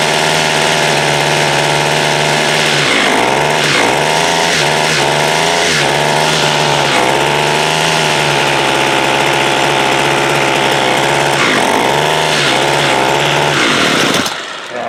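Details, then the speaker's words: Water-soaked 2016 Homelite 26cc curved-shaft two-stroke trimmer, first run: high buzzing that sags and recovers every second or two, hunting; running rough, mixture suspected off, idle and low-side adjustments to follow. "try to do some adjustments on this thing it's rough"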